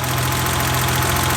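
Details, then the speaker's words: 1990 BMW 325i (E30) warm idle after timing belt, water pump and new coolant; smooth, even low hum with no surging or stumbling. Working gauge cluster, and the work appears to have fixed the previous rough idle: normal idle. "Working gauge cluster, and appears it fixed our rough idle."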